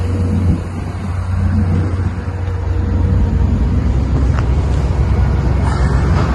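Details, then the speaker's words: 1958 Cadillac Eldorado, 365 V8 with three two-barrel carburetors, running outside on a new near-original exhaust with rear resonator and factory-style mufflers; deep, smooth, even rumble, no knocks, misses or rasps, nice and quiet; normal running. "Well, we got it outside. You can hear it's nice and quiet."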